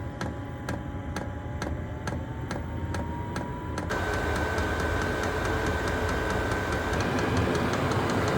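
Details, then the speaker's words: Chinese diesel heater with blue controller at startup after fuel ignites: sharp regular pump ticks about four a second over a rising fan whine and roar, getting quicker during startup, slowing a little once up to temperature; normal. "It gets quicker and quicker at startup, and then when it's got up to temperature it'll start and slow down a little bit."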